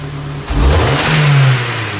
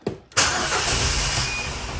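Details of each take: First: 2009 Ford Focus with CAN-bus U-codes, immobilizer light out: short clean blip where the revs climb smoothly and settle back with no stumble or misfire; engine and RPM signal working normally. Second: 2009 Ford Focus with CAN-bus U-codes (U1900, U2510 and others), immobilizer, ignition lock or cluster suspected, codes cleared, very low fuel: short crank catches into an uneven, wavering idle that settles after a second or two; cause unclear.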